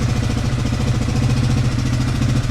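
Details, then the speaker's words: Yamaha Grizzly 600 ATV (about 1998–2001) single-cylinder after raising idle slightly, warmed up: even low thumping idle with steady rhythm, no misses, knocks or hunting; running near perfect. "All right, seems to be running damn near perfect."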